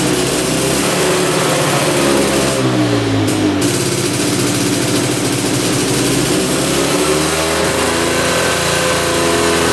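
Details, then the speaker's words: 1965 Tatran 125cc two-stroke scooter, 20 original miles, first start after 40 years sitting: buzzy note catches, then rises and falls with each throttle blip, revving freely; engine running and revving. "but at least we got to hear it run for the first time in like 40 years and we got to drive it for a little bit"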